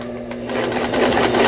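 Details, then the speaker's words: Brother Prince 15 sewing machine, stored broken about ten years and now repaired: straight stitching with a quick, even whir that picks up slightly in speed, no knocks or catches; the old machine runs normally. "자, 직선 바느질 오래된 기계인데 작동이 되고 있네요."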